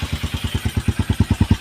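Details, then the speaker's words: Honda XR150 after a CDI replacement fixed a hard start caused by lost ignition power at the coil: steady, even thumping at about eight beats a second with no misses or clatter; healthy idle. "Okay na guys. Ananandar na yung ating XR150. Yes."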